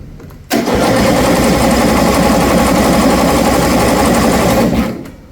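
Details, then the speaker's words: 2007 John Deere Z225 zero-turn, fuel solenoid just plugged back in, fuel confirmed: about four seconds of steady, even cranking that never fires; cranking no-start, spark suspected, and the plug was later found badly fouled. "still rubbing. This seems like a spark issue to me, boys. What it seems like cuz I know I'm getting fuel."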